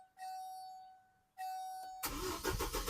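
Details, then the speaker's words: 2006 Chevy Colorado with intermittent crank-no-start, during Passlock relearn with key on: two warning chimes, starter churns unevenly and the engine never catches while the Passlock light flashes; the anti-theft system is blocking the start. "as you can see, it doesn't, and the pass lock light is starting to flash."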